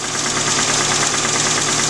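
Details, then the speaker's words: Suzuki Samurai engine, idling after reassembly: steady light metallic knock in time with idle, not present before; owner wonders if rod knock or valves; source not confirmed. "everything seems to be running good um it's all back together and running but still here that knock it wasn't there before you know uh before"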